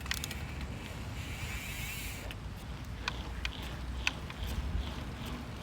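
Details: Yeti SB100 mountain bike, ridden and loaded: sharp isolated snaps and cracks over tyre and trail noise. The snapping continues nonstop even after the bottom bracket and headset were replaced; source still unknown.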